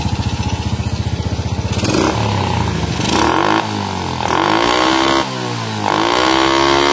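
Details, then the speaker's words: Honda Supra motorcycle after carburettor fix: small single revs freely in repeated blips, climbing cleanly and dropping promptly back to idle; throttle now responds properly, only air screw adjustment left. "tinggal nyetel angin mas. Ini mantap sekali ya."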